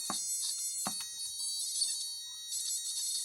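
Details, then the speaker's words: Cheap electronic burglar alarm kit after a 100n polyester capacitor is added across the 47n one: a thin, wavering, buzzing alarm tone with a few clicks; the lowered frequency works as intended. "anyway I found a a 100n here polyester so let's pop that across oh oh yes nice low frequency"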